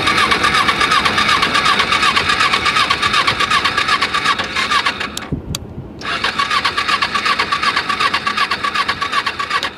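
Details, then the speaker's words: Small salvage Ninja motorcycle at a Copart yard, battery has power: rapid starter whirring about two to three pulses a second, a pause, more cranking, never catches; cranks but won't start. "ain't looking good it's not looking good still not looking good"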